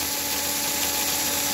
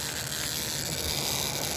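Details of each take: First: Royal Blue chassis with ball bearing axles and shimmed gear and wheels, drawing 1A at 17V, running flat out. Smooth, steady high-pitched motor whir with minimal vibration and very low noise; brushes arcing slightly; normal running. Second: Chassis with ball-bearing axles: whirring rasp with a whine rising with motor speed, clearing up around 12 V; inner bearing verified stationary, wheel wobble ruled out; a dry bushing needs oil.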